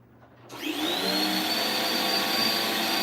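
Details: Kirby vacuum after basic maintenance, switched on by the red button: the motor spins up sharply and settles into a steady, even high whine with no rattle or surging. Runs healthy.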